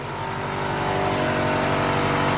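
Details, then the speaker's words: Honda Civic B16A with a fresh set of injectors, revving with a smooth, even climb and no misses after the fuel pressure was turned up to spec; injectors pulse cleanly and no leaks are seen, only a slight gas smell. Healthy revving. "i crank the fuel pressure up so now it's running where it should be let's check for any fuel leaks injectors all sound like they're pulsing pretty good"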